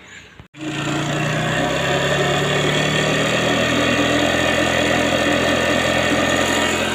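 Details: Piaggio SR50 two-stroke scooter on its stand after clutch and roller work and exhaust bracket welding: a click, then a buzzy even idle with steady pitch and no misses or rattles, fuel filling through the valve; runs fine.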